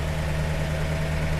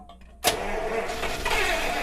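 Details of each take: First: 1948 Buick Roadmaster Model 79 with 320 cu in OHV inline eight, fuel leak still unfixed: low, steady, even idle with no misses, knocks or ticks; smooth and running on all eight cylinders. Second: 1948 Buick Roadmaster Model 79 wagon, 320 cu in OHV straight-eight, after carburetor primed: cranks and catches unevenly, coughing without settling, as fuel is still coming up from the tank; starved of fuel.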